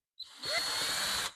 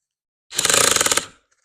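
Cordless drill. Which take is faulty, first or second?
first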